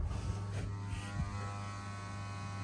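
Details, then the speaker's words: 2013 Vauxhall Corsa D ABS pump active test via scan tool: steady low electric motor buzz, even pitch, no surging or grinding; pump okay, while left and right solenoid valve tests failed (front left no braking). "you can hear the pump I'm going to turn it off so pump is okay"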